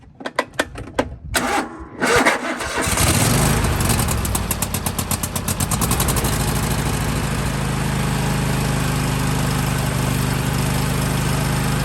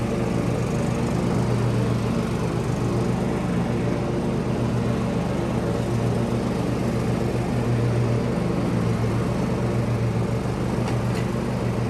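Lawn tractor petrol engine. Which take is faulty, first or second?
first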